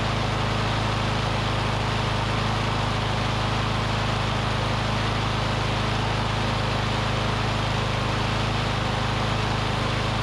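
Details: Curbside Briggs & Stratton Classic push mower engine; owner thinks debris in the fuel pickup tube cleared, and it holds a steady buzzy drone at constant speed on its own fuel, firing evenly with no misses. Normal running.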